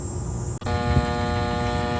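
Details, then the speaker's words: Walk-in freezer condenser unit, electrical compartment opened with full power (about 213 V) and good fuses, between defrost cycles: steady electrical buzz as the contactor tries but fails to pull in; compressor stays off. "you can hear that buzzing sound and that's the sound of the contactor trying to pull in"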